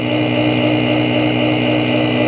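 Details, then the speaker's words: BoxMotor pulse motor after replacing bad chip, running three coils, charge batteries around 12 V: steady even hum with a fixed tone as coils resonate while wheel spins; coils working normally. "you can always tell when these are working you can hear them they resonate so when your coils are working you can hear"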